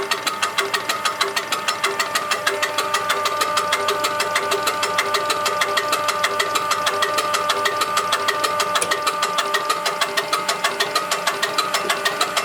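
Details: Diesel with UTN-4 injection pump, after repair and adjustment, gives an even, steady clatter at constant speed with no misses or knocks; engine and injection pump running normally.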